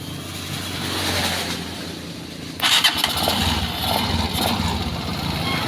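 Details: Honda TMX Alpha motorcycle after swapping the cracked spark plug for an old one, started on its electric starter: starter whirs briefly, then catches and settles into a steady, clean single-cylinder run with no misfire; normal start and idle.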